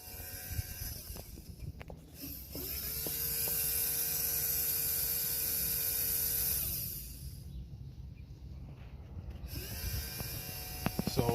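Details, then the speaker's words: 2005 Toyota Prius, coolant control valve fix, bleeding air with the electric inverter coolant pump run via its relay: steady high electric whir for a few seconds, then stops; pump running normally, to be run only briefly. "And you can hear the pump. You can hear the pump on."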